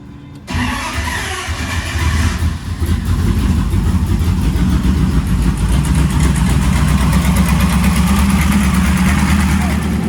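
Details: First fire-up of freshly swapped 335hp supercharged Ardun flathead in 1932 Ford Roadster, magneto on after cranking to oil pressure: catches after short crank, settles into fast steady deep burble at raised idle, no misfires; normal, aside from a leaking AN oil fitting.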